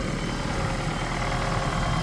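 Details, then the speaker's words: 2009 Ford Escape Hybrid with 126,000 miles, the hybrid engine started in the morning. A smooth, even low rumble with no knocks, ticks or whine: normal healthy idle. "we've got the hybrid motor started right up this morning sounds like it's doing what it's supposed to be doing"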